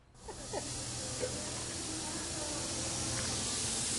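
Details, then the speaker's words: Air brake system with a steady, sharp hiss of escaping air over a low engine hum; an ultrasonic leak detector traced the leak to a bad air brake chamber. "here it is a bad air chamber"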